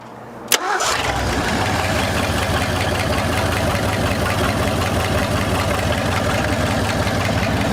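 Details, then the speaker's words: 1974 Ford Bronco abandoned for over 35 years, revived: fires on the first touch of the button and settles straight into a steady, even idle with no misses, staying running. Normal start and idle. "Crazy how just touch of a button and it fires right off and stays running."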